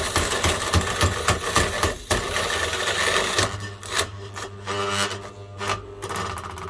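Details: Sewing machine motor run on 400V: harsh rasping grind with uneven scraping pulses as it labours and winds down, failed bearing seizing; motor took a while to die.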